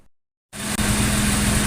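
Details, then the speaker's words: Jaguar 420 petrol engine after replacing a suspect valve bucket/shim to cure tappet knock idles smoothly and evenly, steady hum, no ticking from the valve train: normal idle, no valve tapping. "Runs well. Sounds good. No more tapping. Success."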